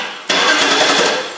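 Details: 2008 Cadillac DTS 4.6 Northstar towed in as a no-crank after a new starter and battery, cranked during starter relay testing: sudden steady starter churn with even pulses for about a second; cranks normally, starter circuit good.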